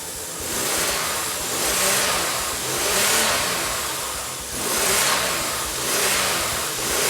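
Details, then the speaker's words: Toyota V6 with a turbo on only one bank, still on factory ECU, first start after reconnecting the crank angle sensor: runs but doesn't sound happy, surging up and down every second or so with a lumpy note; rough running, cause unclear. "Yes, it runs! It works. I mean, it doesn't sound that happy, but it works."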